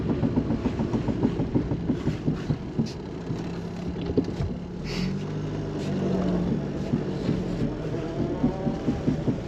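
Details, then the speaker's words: Mk2 Fiat Panda 4x4 with newly fitted automatic diff lock, on board during slow tight-corner test drive: steady light clicking about three a second from the rear diff lock over low engine drone, normal ratcheting, not as loud as feared. "right we're on board now we're just going to have a bit of a test drive and uh see how loud this clicking is that you can hear from the diff lock from behind so we'll do some do some slow tight corners and you'll see what we can hear [Music]"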